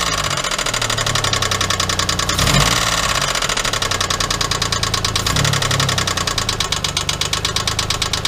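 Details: '97 Geo Metro 1.0 L, spun rod bearing after an oil leak: steady idle with a sharp, evenly spaced metallic knock riding every revolution.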